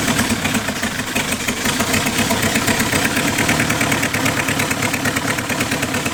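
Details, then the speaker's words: Small four-cylinder rat-rod engine after head work and new valve springs, at a steady fast idle with quick, even firing pulses, no misses or knocks; each cylinder fires more distinctly than before. Normal running. "How does it sound so different? Okay. Like what? You can hear like the individual fire better now. Yeah. Sounds awesome, man."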